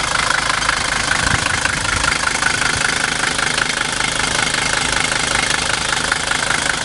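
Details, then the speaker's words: 1978 Mercedes 300D diesel with a new battery this spring idles with steady, even clatter at roughly 220 beats a minute and no stumbles; normal, healthy idle. "but the car runs very good you know even binding just for the engine might be pretty"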